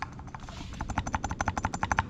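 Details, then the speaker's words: 1989 Honda Civic EF Si, steering wheel wiggled: rapid sharp clicks, about eight a second, tracking the rocking, loud inside the car; worn bushing in the steering rack by the passenger-side tie rod, rack replaced. "I would wiggle the steering wheel before it would make a like click click click click clip because I thought that was just the linkage whatever there has to be a little bit of tolerance in there for movement but it must have been my rack"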